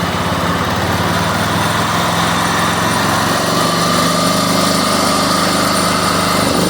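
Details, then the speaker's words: John Deere mower with a Kohler Command engine, after a new carburetor was fitted and shaved for clearance: steady, even full-throttle drone with no misses or surging. Runs properly. "As you can see, it's up and running."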